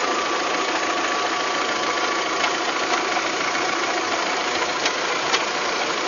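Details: VW Golf 3 engine at steady idle with loose, somewhat irregular knocks of about eighty a minute over the hum. It is an abnormal engine knock whose source is not pinned down, in a clip tied to fitting cylinder-head parts.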